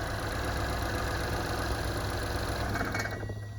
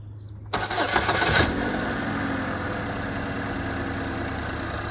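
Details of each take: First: 2015 Buick Verano 2.4 Ecotec after a timing set replacement; idles steadily, then at shutdown a thin metallic bell-like ring lingers as the rumble dies; cause unknown, ringing noise at engine shutdown. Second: 2015 Buick Verano 2.4 Ecotec just after a timing set replacement: quick crank, clean catch, brief flare, then smooth steady idle, the normal sound. A bell-like noise at shutoff is the concern.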